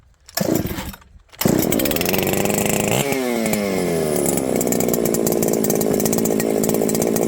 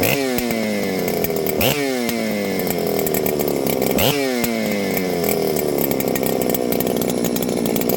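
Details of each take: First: Ported 394XP chainsaw, rebuilt after two to three years boxed, had faded until it would not run (coil suspected). Started with choke, it catches after a couple of pulls and revs cleanly into a strong, even two-stroke scream: running properly, fixed. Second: Ported Husqvarna 394XP chainsaw, assembled after years in a box, started then faded: screams at high revs with rhythmic surges, then suddenly dies; ran good until it didn't, bogging and stalling under throttle, cause unknown.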